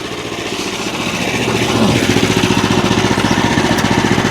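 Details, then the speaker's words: Small engine on a bandsaw wood mill, bought as a non-runner, revs up after carb work and settles into a quick, even putter with steady beat and no stumbling; runs clean, normal running. "there we go idling with all controls listen to her purr wow"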